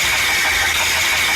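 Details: Engine running with a steady, thin high-pitched whine and hiss over a weak, low rumble; presented as the sound of a damaged oil pump, cause suspected, not confirmed.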